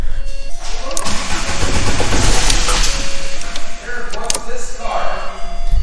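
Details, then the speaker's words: Abandoned VW Mk3 with 2.0 L ABA engine and 5-speed manual, possible immobilizer/alarm lockout: engine cranks, catches briefly with a small pop, then dies within seconds; owner wonders if it is running only on fuel prime. "popped a little bit that's interesting I wonder if it's running on the fuel Prime"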